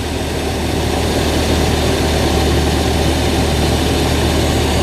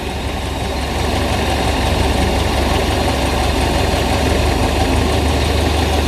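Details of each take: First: Zebra 1.3 carburettor car that was hard to start, with a float needle set too tight. Loud, steady, fast even idle with no misses because the idle screw is set too high, and it is being turned down: high idle. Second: Zebra 1.3 carburettor car after the idle screw was turned down (float needle had been too tight; spark and compression seem normal). Smooth, steady low idle with no hunting: normal idle.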